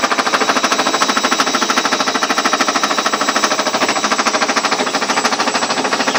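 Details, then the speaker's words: Ariston washing machine on spin with ordinary laundry: fast, regular knocking a little over three per second over a constant hum, something striking inside the drum. The machine stays level and touches nothing outside. Cause not confirmed. "Даже она не прыгает, ничего, а просто стучит внутри. Что-то в ней внутри стучит."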